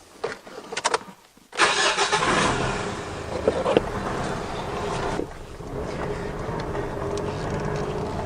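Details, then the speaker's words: Diesel on a road test after smoke-machine diagnosis of an engine squeal and rough idle/surging: steady pull in second gear over road noise, no chirp, surge or stumble where it normally chirped; running smooth. "I can't hearing your rough running or anything like that now listen this is when it normally chirps flat NACA 2nd gear can't hear any chirping there"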